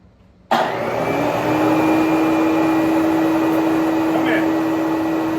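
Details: Bissell Big Green Machine carpet cleaner after replacing a tiny spray solenoid part, tested with cover off: motor starts abruptly and settles into an even, steady hum with constant whine, no knocks or surging; water now flowing, runs normally.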